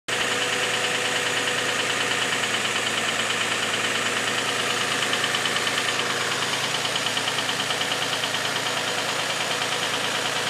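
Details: Infiniti G35 petrol V6 idling after sitting a week, loud knocking at startup that subsided: light regular knock about three a second over top-end clatter; owner fears oil consumption issue, though oil consumption tests passed twice.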